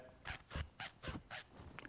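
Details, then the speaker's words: 1993 Ford F-150 5.0L 4x4 idler pulley, removed and spun by hand: a gritty rasp about twice a second and the pulley drags instead of spinning freely. Bad inner bearing; it was replaced with a new pulley. "It's making a sound because the bearing inside is bad."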